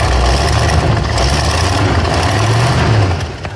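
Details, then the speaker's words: 1970 Cadillac Eldorado V8 at idle after a test start, following a fix to the rusted-through choke stove plate: lumpy idle with a faint puffing tick, an exhaust leak much reduced but still present, plus another leak at an elbow. "Works pretty well. Still has an exhaust leak, but it's a lot less than it was."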